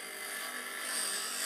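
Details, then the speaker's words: Dressing the grinding machine's stone with a dresser moved side to side: a steady, even scraping hiss with no gaps, showing good contact all the way across the stone. "now you can see that it's really taking off and when you have a good contact all the way through the stone now we have a good contact through the stone"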